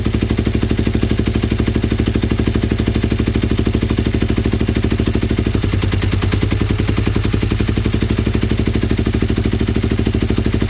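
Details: Twin-cylinder Ninja motorcycle, recently revived, carb sync attempt: loping, uneven idle of about three pulses a second with some clatter, likely out-of-sync carburetors; fuel leaks from the headers and carb vents; uneven running twin.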